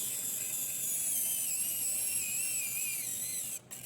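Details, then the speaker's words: John Deere SoundGuard 30–60 Series tractor, actuator key-turning install: high electric actuator motor whine wavers and drops in pitch, labouring near end of key stroke during crank setting, then cuts out; set too far past crank point, which burns actuators out. "It does labor a little bit. It is kind of hard to turn the key."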